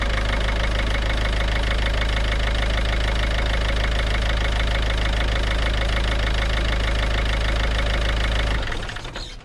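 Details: Ford/PSA TDCi/HDi diesel just after injector removal and seal replacement (combustion gas had been blowing past the seals). Air was in the fuel system but it started: even, steady diesel clatter at idle, regular beat, no misses, then a clean shutdown. Normal idle.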